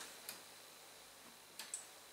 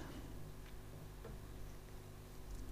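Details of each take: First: Bang & Olufsen CD50 under repair, drive belt being replaced: few faint sharp ticks in a quiet room with no drawer travel when open is pressed; tray mechanism clicks but never opens, owner thinks it believes a disc is inside. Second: Bang & Olufsen CD50 after drive belt replacement: soft hum, light ticks, then crisp click as the tray pulls the disc in and raises it, ready to play; normal loading.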